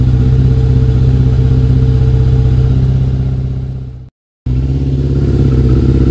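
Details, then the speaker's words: Yamaha YZF1000 Thunderace 1000cc, after freeing kinked fuel lines squashed by the refitted tank: even, steady idle, no misses, briefly cutting out near the end; now running fine. "yeah it sounds much better so yeah when you put a tank back now make sure you're not squashing or kinking any of the fuel lines which is what was happening there but loosen them all up now and it's running fine"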